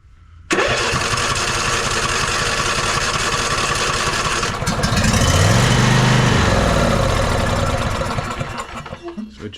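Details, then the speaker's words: Ariens 20 hp riding mower, sat unknown time, dirty air cleaner: carb cleaner/starting fluid sprayed into intake, cranks, catches and runs rough a few seconds then dies; suspected no fuel or gummed carburetor. "burnt that off and dyed right back out try it again definitely either not not getting fuel or the carburetor gummed up"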